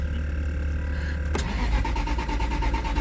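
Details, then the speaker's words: Aston Martin V8 Vantage, 6-speed manual, heavily modified, bought at auction with mystery damage, which had run moments before. Fuel about a quarter tank. The starter spins evenly, roughly nine pulses a second, but it never fires: crank, no start. "Now it won't start. Come on. What in the hell?"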